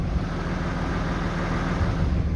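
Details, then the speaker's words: 2007 Dodge with 6.7L Cummins diesel, after fix of squeal when exhaust brake activated and a test drive: steady deep idle with even low rumble, no squeal or whistle; repaired. "all right folks I just got uh through taking this thing for a drive and everything and now it's just sitting here we don't have any more uh squealing going on or nothing like that"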